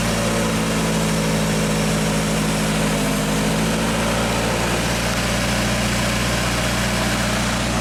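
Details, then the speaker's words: 1995 Genie Z45 running from the platform controls after a wiring fix: fuel pump voltage now holds at 13.2 V, up from 11.8 V, and the engine idles smoothly with no stumbles. The stalling is fixed. "Okay, so his stalling problem is fixed for good. That fuel pump is getting nice, healthy voltage when it's supposed to."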